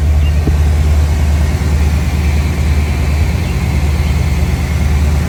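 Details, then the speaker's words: 1976 Chevrolet Corvette, numbers-matching rebuilt 350 V8 with more performance, Borg-Warner 4-speed; deep, steady V8 burble with an even low rumble and no ticks or knocks. Normal, smooth idle. "Turnkey, smooth, sounds great. I'm going to fire it up now."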